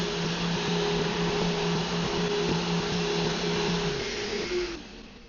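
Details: Mirka random orbital sander on white oak with 80 grit, tested after the Vevor felt jerky. Steady motor hum with even sanding hiss, no surging or rattle, then winds down near the end; running smoothly.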